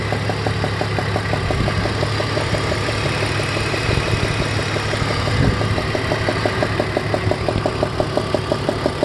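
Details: 2002 BMW E46 330ci, warm idle: sharp, steady tick about three times a second from the cylinder #4 spark plug, found loose enough to spin by hand under the coil; tightening it removed the sound completely.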